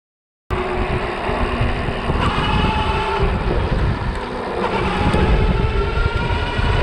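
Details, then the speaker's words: Super73 RX e-bike, GoPro mounted near the wheel pointing down: rough, uneven grinding over motor drone and wind, occurring consistently when leaning and gunning the throttle, pointing to trouble inside the rear hub motor. "so there you go we got it two times every single time was when I was leaning and gunning it on the throttle so now we know pretty consistent"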